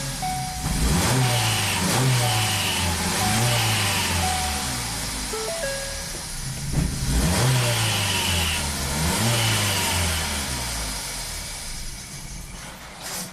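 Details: 2017 Ford Focus after the owner swapped in a used DSG transmission and a new dual clutch, codes cleared: held on a little gas, the engine surges and sags with revs hunting up and down. Rough running, will not idle, stalls.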